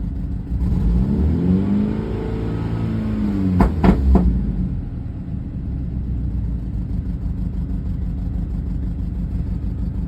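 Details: BMW N26 petrol engine with misfire code P0303 from low compression on cylinder 3. It revs once, then settles into a rough, uneven idle.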